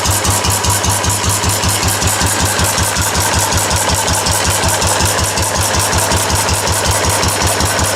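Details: Restored four-horsepower Cushman binder engine with wide flywheel and original paint and tank, test run after restoration, started stone cold; single cylinder thumps evenly near three beats a second with crisp exhaust bark, running healthy.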